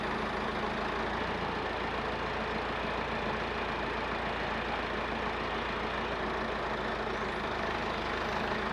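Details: Massey Ferguson 50HX backhoe loader, 4-cylinder Perkins diesel, hydraulic pump reconnected to the engine: heavy steady drone holding even speed under hydraulic load, no stumbles or knocks; engine and pump working normally, some arm cylinders leaking.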